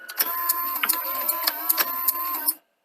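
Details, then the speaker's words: Toshiba V9600 Betamax VCR from 1982, before servicing, no tape loaded; quick run of mechanical clicks and whirring as modes engage and drop out cleanly; mode selection works normally, owner suspects a dirty leaf switch contact. "it's absolutely fine. It should cut out in a second because there's no tape."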